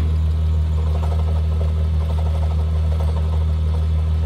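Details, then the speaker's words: Mk3 VW 12v VR6 idling with a low hum and a faint, uneven clunking that seems inside the engine. It persists with the clutch pressed. Alternator, belt, tensioner, water pump, power steering and A/C compressor are new. Owner suspects the clutch. Clunking at idle. "it's making this weird noise honking like a clunking"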